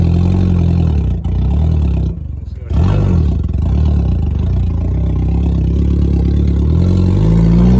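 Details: 1990 Mazda Miata after sitting 7 years, first drive: loud, deep, steady drone at fifth-gear cruise with a raw, unmuffled bark. No exhaust system fitted, smoky and dumping fuel, running rich.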